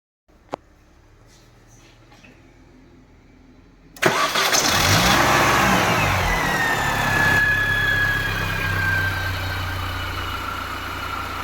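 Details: R53 Mini Cooper S, a few moments after a terrible-sounding first start: engine fires at about four seconds and settles into a steady even run with no rattle or knock, much quieter and healthy.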